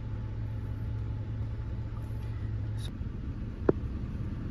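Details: 2010 Nissan Xterra after fixing a no-crank/long-crank no-start by replacing damaged ignition and starter relays and the broken clutch pedal ignition switch: steady even low rumble at idle, one light click, no misses or knocks; normal.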